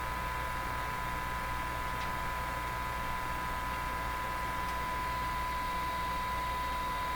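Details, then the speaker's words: Hallicrafters TW2000 World Wide receiver during alignment of bands 5, 6 and LW with signal generator: as meter rose, steady hiss with thin whining edge appeared; suspected oscillation in the set, not confirmed. "now the moment that meter went up an extra hiss came out of the speaker doesn't quite sound like a hiss it sounds like a whiny Kris hiss like there's some kind of oscillation in there"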